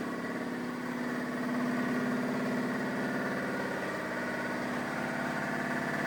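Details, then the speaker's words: Shop air compressor filling the tank through the newly installed dryer and airline network during a test run; steady, even chugging with no hiss of escaping air, so normal running with no air leaks. "So far, no horrible leaking noises."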